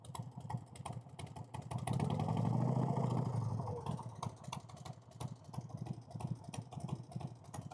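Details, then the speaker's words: 1990 Harley Fatboy with a newly installed S&S Super E carb: a light tick of about three per second over the loping idle that holds through a throttle blip. It seems to come from the front cylinder, which fouls plugs most; the top end needs checking. "Sounds like the front cylinder. It's also the one that's fouling plugs the most, so it's, hope it's nothing too serious."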